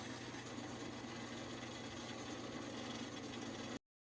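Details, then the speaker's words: Restored circa 1950-1955 Craftsman bandsaw, first power-up after belt conditioning and blade tracking alignment: steady even hum and whir with no knocks, rubs or ticking; runs smooth and healthy. "all right here we are with the inaugural band saw fire up looks like it's going pretty good"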